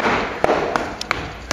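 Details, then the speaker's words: About 100-year-old house, lime mortar plaster on brick: five knuckle taps give a hollow, ringing knock where plaster has lifted off the brick beside earlier patching; drummy section to be cut out and re-rendered. "hi we've got some patching here that's been done but there's still a drumming section up here we're gonna have a look where it is and then open it up so we're here by the sound there and that's different there"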